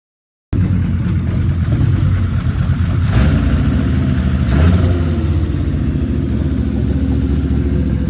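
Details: Volvo 850 turbo engine at its first fire-up after a rebuild and reinstall: a steady, deep, even engine note with no knocks or rattles, so the rebuilt engine is running normally.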